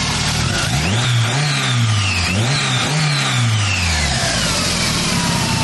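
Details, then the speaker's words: Turbo Mazda Miata after a timing fix and cam and crank seal oil-leak repair (it still leaks oil): quick, clean rev blips climb and fall smoothly, then settle to an even idle with no misses or ticks; runs healthy now. "It's still, I guess it's safe to say it still has an oil leak because what the hell? She's really sounding good now."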